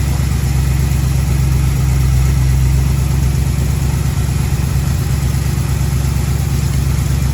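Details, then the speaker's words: 1936 Chevy coupe, 350 small-block V8, new HEI distributor, engine pre-warmed: steady even idle sitting too fast after timing advanced, so idle needs turning down. "what I mean about the revs going up, so now I need to turn the idle down."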